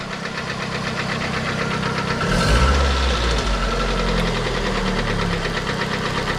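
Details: Steady, fairly even knock about three to four per second over idle, louder cold and somewhat quieter warm; suspected crank-connecting rod related, piston pin play being checked, source unconfirmed.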